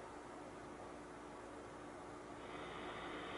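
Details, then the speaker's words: Excel EXL16R guitar amp after replacing an exploded capacitor and cleaning pots; only faint even hiss with a steady hum at high gain, normal power-on thump, no crackle, healthy. "okay that's better that just thump-thump is normal"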